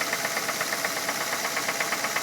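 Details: 2006 Ford Fusion 4-cylinder, 80,000 miles, at idle: quick, fairly even light clicking at roughly eight clicks a second over a steady idle, felt at one spot on the engine; owner suspects valves or timing belt slap.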